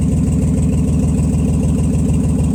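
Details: Nissan Z31 first start after rebuilding injectors and fuel rail components, fuel temperature sensor unconnected, exhaust leaks present: loud deep idle with uneven pulsing beat; still misfiring, cause not found.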